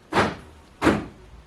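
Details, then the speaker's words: Three crisp, even door-lock actuator clunks about 0.7 s apart, triggered from a laptop via a budget bi-directional scan tool; central locking operates normally. "With just one click on my laptop, I can test my lights, my turn indicator, lock my car,"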